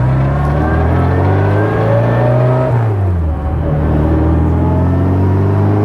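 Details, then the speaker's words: Restored 1960 Bugeye Sprite, warming up after start then driven; strong even exhaust note rising and falling smoothly with throttle through the gears, no misfire; engine running normally. "It starts nicely, just warming up here, and let's hear how it sounds."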